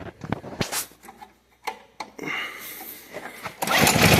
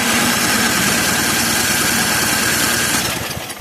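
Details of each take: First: Craftsman electric-start snow blower after carburetor cleaning: small engine catches and holds a steady, even, fast idle until cut; running cleanly. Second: Craftsman snow blower with electric start, winter: steady whirring crank at about three turns a second with no catch; cranks but won't start, carburetor to be removed.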